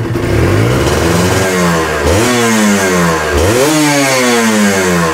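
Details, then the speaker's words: Kawasaki Ninja two-stroke with stock exhaust and slightly weak battery, crankshaft freshly worked on: revs up and drops back cleanly twice, crisp pickup, smooth return to idle, no rattle; sounds cool and healthy, normal running. "Waduh terdengarnya m e masih adem ya guys ya terdengarnya adem gua berani lbayer karena knalpotnya standar ya guys ya"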